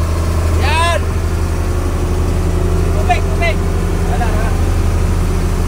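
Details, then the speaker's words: Fishing boat FB Dangyn 9 engine on trial run after the transmission clutch lining, which slipped from heavy rust, was repaired: deep, even thrum at steady speed with no slipping surge or flare; no more slipping, running healthy. "Pakinggan natin yung engine kung wala na bang slide yung tunog niya."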